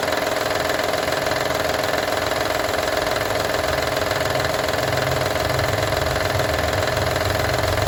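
Steady idle with a fast light rattle, roughly two or three a second, sitting over an even hum; source not yet pinned down.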